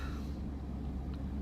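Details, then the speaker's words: 1998 Chevrolet 2500 pickup after aftermarket fuel pump replacement, cold start at 28°F: low steady rumble, slightly raised idle, smooth and even while warming up; normal cold idle. "And everything seems to be okay. It's idling fast, but it's because it's cold. It's been it's started out at 28 degrees here this morning."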